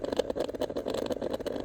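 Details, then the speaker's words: Kawasaki ZX-10RR with a new 12 V battery, key on and engine off: buzzing whirr with irregular rapid clicks as the exhaust servo binds and jams. "Jam ಆಗ್ತಾಯಿದೆ servo body."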